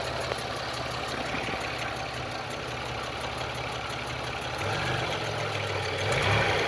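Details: GM 3.4L LA1 V6 in a Pontiac Grand Am at idle: light, quick ticking about three per second over a steady idle; owner suspects lifter tick, not confirmed.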